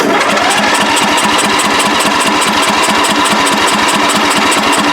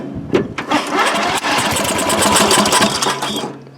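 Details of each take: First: Free riding mower with drained tank, flooded earlier, single-cylinder engine fires and burns off excess fuel, runs with an even steady beat about 220 per minute, then drops off as throttle is turned down; running cleanly. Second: Free riding mower, flooded carburetor with residual gas, first start test: engine catches with loud pops and crackles, then runs rough and uneven as excess fuel burns off, improving once throttle is turned down.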